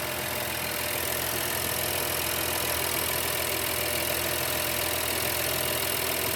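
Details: 2016 Honda Pilot before repair: the petrol engine idles unevenly with a faint hiss, rough idle from a vacuum leak through a torn air intake hose, which is then replaced.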